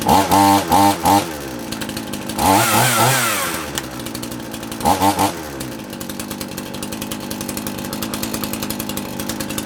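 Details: Handy 38cc petrol two-stroke chainsaw, donated, started on half choke with chain brake on: quick throttle blips to a high scream, then a steady popping idle; runs fine.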